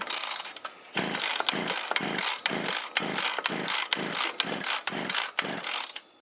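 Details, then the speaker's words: 25–30-year-old Shindaiwa T272X gear-reduction trimmer cranked with choke off at full throttle: fast, light pulls with no firing and zero compression. Partial seizure; rings damaged or stuck on the exhaust side of the piston. "So it's had a partial seizure. The rings are either damaged or they're stuck on the exhaust side of the piston."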